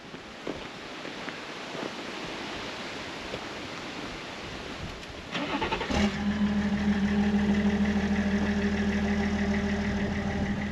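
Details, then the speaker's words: BMW M57 diesel, still in the BMW, first test run, turbo with 15–20 mm shaft play that went bang; cranks and catches into a steady clattery idle, smoking as oil blows out the exhaust; failed turbocharger, engine itself sounds okay. "Yeah, that went bang big time. But the engine doesn't sound bad."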